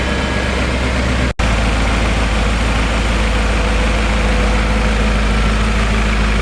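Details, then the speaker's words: BMW E39 M5 V8 after rebuild and cleanup, cold start recorded on the camera's built-in microphone: deep, steady idle with even low rumble after a brief dropout, no ticking or knocking; healthy and smooth. "So we're going to go ahead and do a cold start now, post cleanup."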